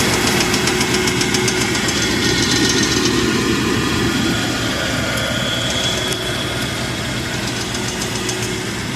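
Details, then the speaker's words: 1994 Dodge Ram half-ton, bought as a non-runner, smoking with suspected misfire: loud rough idle with steady tapping about three or four a second; unclear whether it is a knock or something loose. "oh that's why can't tell if it's got a knock or if it's just something"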